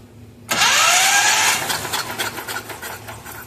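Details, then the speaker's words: Miller Trailblazer welder engine, sat outdoors seven years, spark confirmed: high quick whirring starter spin turning over freely without firing; cranks without starting. "By virtue of putting my finger in the hole and cranking it, I discovered this side also has no compression."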